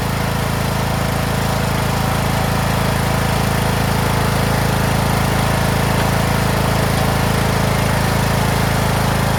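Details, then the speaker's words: Craftsman T1600 (T600) 46" lawn tractor, Briggs 19hp, after cylinder head and head gasket replacement, mowing lawn: smooth steady low drone, even beat, no knocks or misses, pulling well; runs like new; normal running under load. "all we did was just replace the head on this T600 this thing runs like new man"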